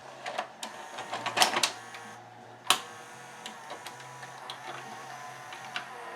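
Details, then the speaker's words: Admiral (Sharp-made) 1992 VCR that sometimes spat tapes back out, after cleaning and de-glazing loading and take-up belts, capstan motor pulley repair and tape path cleaning; quick clicks and whirring then steady hum as the tape loads normally. "so the first time I held my finger on the shaft right here and I added a slight amount of drag someone do the same thing again let's see if it loads Oh loaded perfectly"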